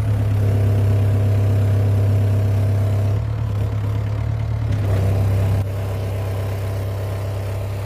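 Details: Yanmar B6Z mini excavator (0.25 class), privately used: steady low diesel chug at an even idle with no knocks or misses; sounds like a healthy small diesel ticking over.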